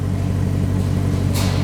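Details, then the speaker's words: Maserati Quattroporte V8 at steady idle after repair of a misfire: deep, even burble with no skips or stumbles, very different from before; cam timing under load not yet tested — normal idle, no misfire. "then I think we've done it that is sounding beautiful and no misfire and you can really listen to that"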